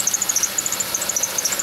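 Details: Chevy Venture van, engine running: rapid high-pitched chirping squeak, roughly a dozen per second over a quiet engine; owner judges it the idler pulley below the air pump pulley; dry idler bearing.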